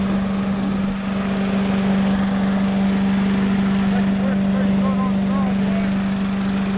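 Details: Little Wonder blower Briggs & Stratton single-cylinder engine, which came in not blowing, after starting on choke with a little throttle: steady even part-throttle hum, slight shaking but no misses, knocks or surging; running normally.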